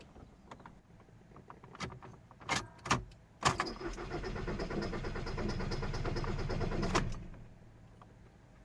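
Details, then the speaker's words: VW Passat 2.0 TDI diesel no-start: steady cranking about three seconds without catching; no fault codes, live data OK, fuel pump not working from a bad contact at its connector pin. "Today I have Volkswagen Passat with 2.0TDI engine and with problem that car not starting."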